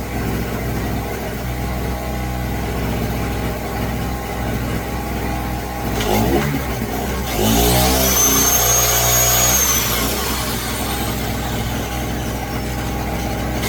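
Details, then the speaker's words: Brand-new Pulsar 1200W portable generator under heavy load, likely filling a 200 PSI air tank: the engine note climbs and holds at high speed, working at full power and only just keeping up, labouring under the load. "You can hear how it revs up when I go to use the power. Motor revs up. I'm thinking that it's not going to handle It just seems like it's just barely handling this. This is working full power when you can hear that thing working."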